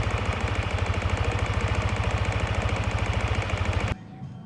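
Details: Yamaha NMAX v1 scooter at idle: hard rapid steady knock, about three or four a second, until the engine cuts; cracked magneto rotor (split in three places), not the crankshaft; fixed by replacing the magneto.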